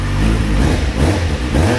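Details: Kawasaki Z750 after replacing exhaust header rings and welding the header inlets: deep, even exhaust note rising and falling with throttle, the earlier rod-knock-like noise gone, no ticking or knocking; engine healthy.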